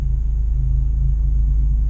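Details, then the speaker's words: 2012 Honda Fit with new Beatrush stiff engine mount and Spoon rigid collars, heard in the cabin at idle with AC on: low steady rumble with a faint regular pulse, vibration much more noticeable; seems to be lessening as it breaks in. "wow i could really hear the vibration now like when it's idling"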